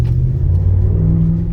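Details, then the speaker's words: Hemi V8 with aggressive tires, accelerating on a test drive: deep, smooth rumble climbing steadily in pitch, no knocks or misses; engine sounds healthy. "It sounds really good. Hemis always sound the best."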